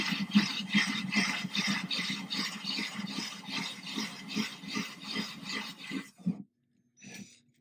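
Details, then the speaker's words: Ryobi drill with a diamond core bit near breakthrough in a thin-glass 10-gallon aquarium, water dripping out the bottom, very light pressure, water-cooled: a soft, even scraping grind pulsing two or three times a second. Normal gentle cut at the fragile point. "This is the fragile point. You gotta be careful here. You don't want this to break through the bottom. You want the drill to keep working."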